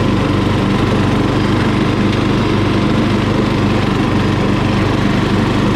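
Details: Murray lawn mower single-cylinder engine, just after carburetor cleaning for dirty fuel (float and needle fine), at full throttle: holds a steady, even fast beat with no misses or surging; runs healthy.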